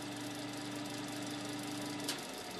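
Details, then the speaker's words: 1970s Hoover Knapp-Monarch fin electric heater on high heat and high fan speed: loud, steady rushing hum with a faint fixed tone; fan blade seems a little loose, motor due for oiling; noisy but running. "turn on the high heat the fan slows down a little bit and high fan speed noisy little sucker isn't"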